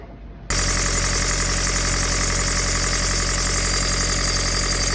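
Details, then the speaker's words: Sailboat marine diesel with a Balmar alternator, after a full service: it starts and runs with a steady high-pitched squeal over its clatter. A slipping alternator belt is suspected. "we had a mechanic in to help us with the engine, did full service, seemed really simple, and then the alternator squeaked like crazy."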